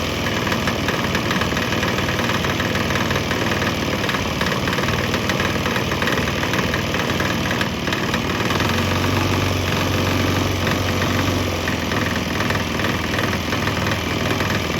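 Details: Swan X 165F Chinese single-cylinder diesel on a 50% used motor oil / 50% diesel mix; busy, steady idle clatter. Earlier bucking and stumbling seemed to clear after it transitioned to the mix, and it now runs evenly.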